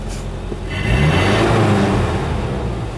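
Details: Truck running on a homemade wood gasifier, airflow adjusted, pulling away: engine note climbs smoothly, steady even drone with no misses or knocks; healthy under load.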